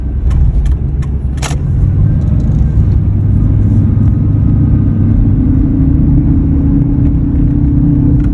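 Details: 2003 Ford F-150 while driving: steady low hum under the road rumble at an even pitch; humming noise, source not pinned down, could be a number of things.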